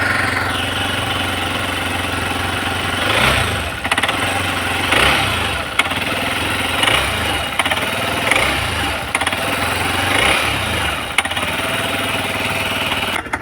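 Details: Hero Xpulse engine making a crankshaft-like sound: heavy metallic knocking that swells with each throttle blip, roughly every two seconds. Cause is balancer gear timing marks out of alignment, found behind the clutch. No engine teardown needed.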